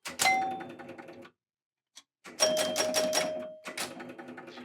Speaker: On entend déjà des relais qui claquent. Là, on entend bien le carillon. Donc là, on a l'impulsion. Chaque fois 5 fois.